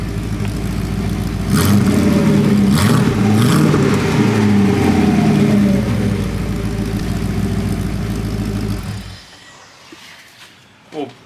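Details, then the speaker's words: Porsche 928 V8, after turning the idle mixture counterclockwise to lean it; a fairly even idle with slight wavering that is almost constant and much happier than before; normal idle. "I just quickly tweak the mixture a little bit you can hear it's a lot happier at Idol now"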